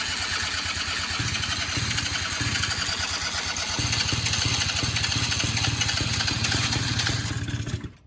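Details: Yamaha Breeze 125 or Can-Am DS50 quad, carbureted and not run in a while, electric choke; engine catches, runs ragged for several seconds, then stalls. Owner suspects fuel not reaching the carb, unconfirmed.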